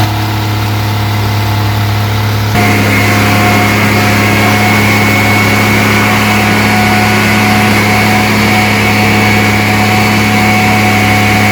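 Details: Rebuilt 230 six-cylinder on first start, cam break-in at fast idle about 2000 rpm, 40 psi oil pressure, 180° temp, timing advanced to about 10° initial; steady even hum, no valvetrain ticking or tapping, no smoke; healthy.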